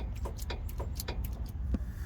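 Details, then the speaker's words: 2001 Dodge Ram 1500 front end, engine off: loose, uneven clunks as the tie rod is rocked by hand; inner and outer tie rod ends worn with excessive play and torn boots, ball joints also worn. "what kind of movement does it have on it does have a lot of movement oh yeah see that look hear that noise"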